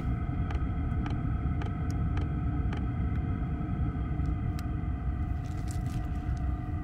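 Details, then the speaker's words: Vevor "Chinasto" Chinese diesel parking heater (5 kW unit limited to 2 kW) in a van at shutdown: fuel pump ticking (about twice a second) stops while the fan keeps blowing air through the heat exchanger for about a minute to cool it. Normal cool-down. "voilà on vient d'entendre la pompe qui s'arrête le corps de chauffe qui reçoit encore de l'air avec le ventilateur mais plus de gaz de pot d'échappement qui sort là ça va tourner comme ça pendant une minute et puis ça va s'arrêter complètement"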